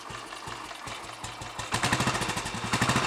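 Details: Royal Enfield Bullet 500 single after head gasket replacement, exhaust blow at head fixed, baffle removed and carb needle raised, cold on choke: slow, even thump at idle then brief rev with fuller exhaust boom; normal idle.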